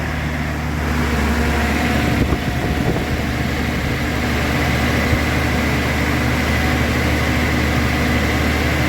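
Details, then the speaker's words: Datsun/Nissan 280ZX, dry stored and unserviced for 20 years, first start after fuel added: steady, even idle with a smooth low hum and no misses or stumbles. Normal idle. "That does sound better."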